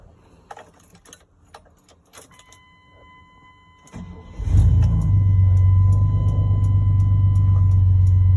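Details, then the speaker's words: 1996 Chevy 1500 with the 4.3 V6, which would start and die with the mass airflow sensor stuck reading 0.01, after a new MAF sensor is fitted: keys rattle, it cranks, catches and holds a steady, even idle. Fixed. "With the other one in, it would just read 0.01 at all times. It wouldn't fluctuate or anything. But there it is. She's fixed."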